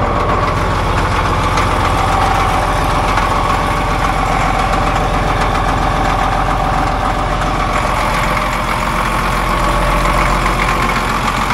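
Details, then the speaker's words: Cat D7F dozer, old military tractor bought non-running at auction, idling after start with ether and glow plug preheat on a weak battery: steady, even diesel idle, deep regular beat, no misses or knocks, no blow-by; healthy. "so she's purring like a pit no blow-by feels good so I'm happy with it"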